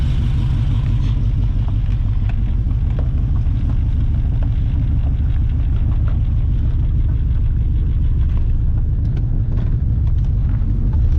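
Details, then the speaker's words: LS-swapped S10 Xtreme pickup, first drive down the lane after reassembly: heavy low drone with uneven pulsing, stray ticks and a weird vibration; runs awful, owner unsure why, wonders about an exhaust leak; rough running. "yeah it runs awful do you hear that not sure why it does that"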